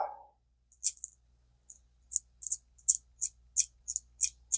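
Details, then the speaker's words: Vintage Zebco Cardinal 3 ultralight spinning reel after clean, lube and snap-ring refit: light crisp clicks about three per second as the spool turns, quiet but even; normal reel clicker. "one's not going to be real loud, is it? It's okay."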